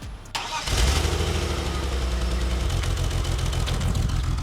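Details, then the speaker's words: Manual BMW E46 with a slight misfire, engine cranking, catching and settling into an uneven, lumpy idle with a recurring stumble; a mechanic reportedly diagnosed a faulty ECU (DME), which owner plans to replace. "so it doesn't sound great that kind of lumpy sound that's because it's misfiring"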